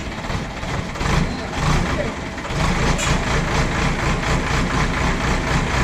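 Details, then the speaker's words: JCB backhoe loader diesel test-digging after the fuel line was bled, to confirm it no longer cuts out. It pulls steadily through the work with no stumbling, surging or cut-outs and holds speed. Running normally under load; no problem found. "അപ്പോൾ നമ്മുടെ വണ്ടി വേറെ കുഴപ്പമൊന്നുമില്ല, of ആവലും കാര്യങ്ങളൊന്നും ഇല്ല. ഇല്ല ചേട്ടാ, കുഴപ്പമില്ല."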